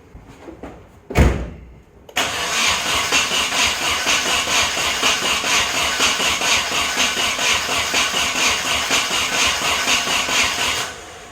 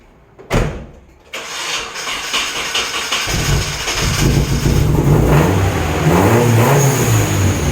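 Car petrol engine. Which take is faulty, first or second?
first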